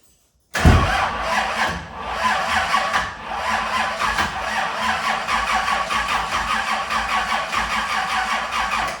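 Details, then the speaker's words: New LS engine in 1971 Camaro, first fire attempt with Holley EFI: slow, labored cranking dragging through heavy uneven lumps about once a second, never fires, as if battery dead; fuel pump doubted; batteries and starters swapped. "we've had a problem with for some reason the engine was really hard to crank we crank it and just struggled like the battery was dead"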